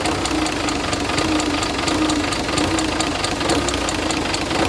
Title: rocker arm knocking noise